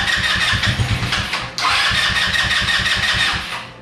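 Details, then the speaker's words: Yerf-Dog Spiderbox go-kart after carburetor rebuild: engine catches and runs rough and uneven for a few seconds, then sags and dies. Starts then stalls; owner suspects the carburetor needs cleaning and that it dislikes cold weather. "as you can see right now when i go to start it up kind of sputters out so it wants to run"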